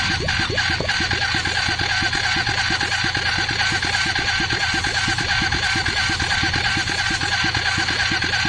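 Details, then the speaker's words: Hyosung GT250, trike conversion, newly installed carburetor and wiring harness, steady starter cranking about three beats a second with faint catches but no firing; wants to go but no fuel yet before makeshift syringe fuel supply. "Sounds like it wants to go. I think let's quickly connect the makeshift fuel system."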